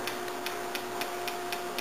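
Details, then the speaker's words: Angel A1 Fly paintball marker with the eyes turned off, trigger pulled: crisp, even solenoid ticks about four per second, and the game timer starts. Normal solenoid clicking. "you should hear the solenoid clicking, and the game timer will have started."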